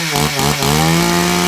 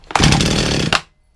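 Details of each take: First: Two-stroke chainsaw that had been sitting unused for some time, started on choke: revs up and drops back in sweeps, then steady buzzing run; chain now oiling properly, but the chain brake only stops partly, not 100%. Weak chain brake, not audible. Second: Chainsaw that had been sitting for some time, after fresh fuel added: short pull, catches and runs rough about a second then dies; fires straight away, possibly on old fuel already in it; chain brake not working.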